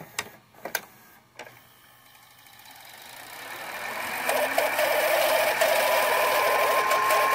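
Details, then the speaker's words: Funai-made VCR (2001–2016 mechanism) after fixing loud screeching on rewind: a few clicks, then reels spin up into a smooth rising whir with light hiss and no screech; normal rewind after repair. "okay that sound like this is just a tape itself but i promise you um that's what um you won't hear that loud screeching noise anymore"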